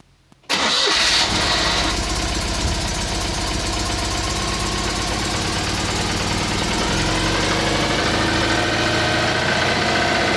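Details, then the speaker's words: Citroen 2CV, about 120 miles after engine overhaul, just after valve clearance adjustment: starts at once, even steady idle, no loud tappet clatter, much quieter valvetrain; slight exhaust blow at a clamp; normal idle. "Sounds a lot quieter. I'm sure I can hear just a hint of exhaust noise, so I'm going to see if I can find a bit of clear pipe."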